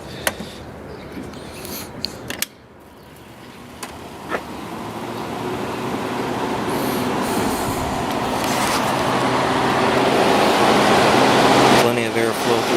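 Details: Fedders 8,000 BTU air conditioner with Sanyo compressor after cleaning coils, started up: a few sharp clicks as thermostat engages, then blower rises to strong, even rush of air, no rattles; running normally.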